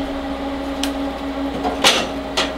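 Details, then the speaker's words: PC water-cooling radiator fans running at about 3,100 rpm: steady airy whir with a constant low hum underneath, loud but even; normal high-speed fan noise, barely audible around 1,200 rpm. "is pretty noisy fans as you can see um but they produce enormous amount of flow"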